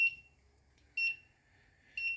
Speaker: Now hopefully you can also hear that the buzzer is now buzzing. So we have an audio alert.